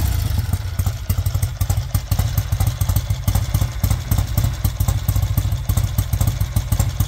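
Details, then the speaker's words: 1968 Triumph T100 Daytona twin (1968 frame and engine, non-matching numbers), still a bit cold: lumpy but steady twin beat with even firing pulses and clear exhaust; normal cold idle. "that sa me turning it off it's obviously still a bit cold um so I want warming up I will fire it up again so you can see it ID"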